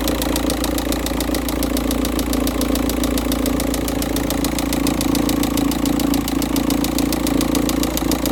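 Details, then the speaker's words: Volkswagen Touran 1.9 TDI diesel at first-morning cold start, engine temperature 13.2, cold thick oil; loud steady banging/knocking from the engine at idle, about three to four sharp raps a second. "Okay, the oil is still cold and thicker, or it has a high viscosity. So as you may be able to hear the banging or knocking noise coming from the engine."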